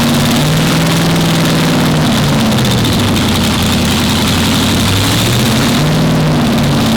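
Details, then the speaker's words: Nissan Skyline R34 with a 416 LS stroker V8, Kelford camshaft, 871 supercharger and Holley Hi Ram: deep loud idle with a rhythmic hunting lope about four times a second under the blower whine. A healthy big-cam supercharged idle. "You hear that supercharger hunt coming at you, it is the most unbelievable sound."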